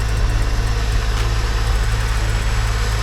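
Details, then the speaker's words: Porsche on first start, in neutral: deep, even idle pulse with a slight clinking or tinging noted at start, no knocks or misses; normal idle. "This is my first start. I hear a little clinking or tinging sound, but this is my first start. This is it. This sounds awesome."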